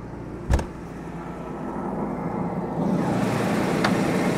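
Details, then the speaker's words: Jaguar XJ6 Series 3 six-cylinder idling cold, dead smooth at 1100 rpm with a steady, even low hum and no misses. The owner complains of a rough idle and near-stalling, and it starts misfiring after about three minutes. "but as you see it is dead smooth at 1100 RPMs"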